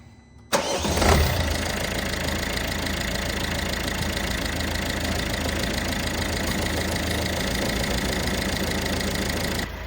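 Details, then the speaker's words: Citroen Dispatch 1.5 DV5 diesel, first start after an 8 mm camshaft chain upgrade and cylinder head repair for a noisy top end: it cranks and catches in under a second, then settles into a steady, even idle with no knocks or rattles, normal. "Well, then listening to that then, sounds like I've had a really good result."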